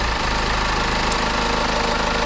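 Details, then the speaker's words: 2007 BMW 520d E60, M47 diesel, after removing the vacuum hose on the side of the EGR valve: steady, even diesel idle with no hunting, stalling or power cuts. "I remove this And now it doesn't stall anymore. It doesn't cuts the power. It doesn't go off anymore."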